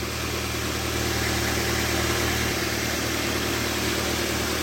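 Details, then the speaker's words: Car engine holds steady, even idle after battery positive is disconnected and reconnected after motorcycle jump-charge of a flat battery; alternator keeps it running and charging: normal idle. "untuk plusnya dilepas dulu nggak masalah ini tidak mati mesinnya ya karena masih ada alternator ya dinamo jalannya ini dilepas dan disambung tidak masalah"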